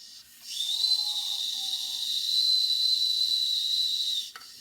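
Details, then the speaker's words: Circa 1946 Watt Victor electric-heated toy steam engine during repair, heating to build pressure: steady high airy hiss with faint whistle as steam escapes. "if this pressure regulator is not setting in real well it won't build pressure really wants to run"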